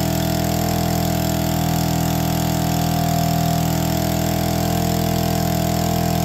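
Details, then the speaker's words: APC mini chopper, small two-stroke, started using the primer (no choke) on a questionable battery: it lives and settles into a smooth, even buzzing idle of about four beats a second with no hunting or misfires. Normal idle. "come on lives and idles it's official we could totally ride this in the snow it'd be super safe as well"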